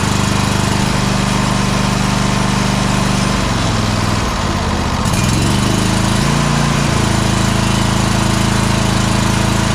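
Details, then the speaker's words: Exmark Pioneer S 52" zero-turn mower, Kohler KT720 twin-cylinder engine, runs lumpy, its tone sagging and recovering as one cylinder seems to drop out; it bogs under load, loses power and pops. "we can definitely hear that one of the cylinders is dropping out at least is what it sounds like"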